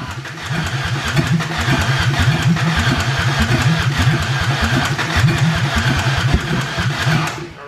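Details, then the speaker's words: 2004 Ford Ranger Tremor with no exhaust fitted and a mud-filled air filter, suspected of having ingested water: loud, hard, steady knocking over a rough open-exhaust idle that was not there before. "why is it Knocking though I didn't do that before"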